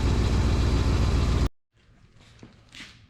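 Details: 2000 Chevrolet K2500 3/4-ton service truck: even, deep idle with a steady beat and no ticking or puffing at the manifolds; an exhaust leak was found at a gasket between the first and second catalytic converters.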